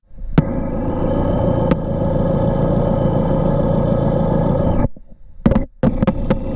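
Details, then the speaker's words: Porsche 944 engine, listening along the base of the oil pan: steady even hum, no rhythmic knocking, no variance across the four cylinders; healthy bottom end, though some driveline bearing noise (pilot or torque tube bearing) noted. "listening along the base of the oil pan no sound variances were observed across the four cylinders"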